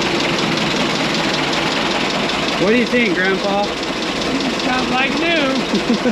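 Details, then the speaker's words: 1927 White dump truck started after 20 years idle, on the starter with fuel checked at the carburetor: steady, even idle with no knocking or misfire; sounds like new, 28 psi oil pressure. "sounds like new just turn right along huh"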